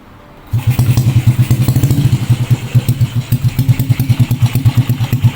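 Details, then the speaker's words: Honda Supra X 125 after adjusting loose valve clearance: starts first try, settling into an even, steady low putter idle with no top-end ticking; healthy. "Oke, bro. Suaranya sudah disesuaikan, bro."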